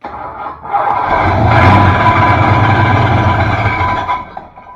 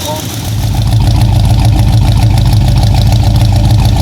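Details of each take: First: 1966 Ford Fairlane GTA first start after work: engine cranks and catches with a tinny metallic scraping under the idle, starter tight against the flywheel; suspected flywheel hitting the bell housing. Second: 1966 Ford Fairlane GTA after fitting a new starter, replacing the wrong one that hit the new flywheel: engine catches and settles into an even, steady idle with smooth low rumble and no grinding or clunking; normal.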